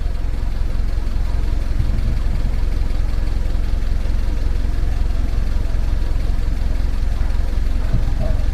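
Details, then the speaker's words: Toyota Etios Cross 1.5, 110k km, engine running: steady deep drone from the tank area under the car, with crackling reported; electric fuel pump straining through a clogged internal pre-filter, fixed by replacing the pre-filter. "então ela como é que tá provavelmente e na pode estar obstruído gerando esse vai vim danado combustível"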